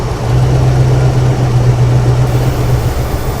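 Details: 1975 Ford Ranchero GT V8 with a hard-start stumble from an unplugged manifold vacuum port; with the port covered by hand, the engine settles into a steady, even idle with a low, smooth rumble and no hiss.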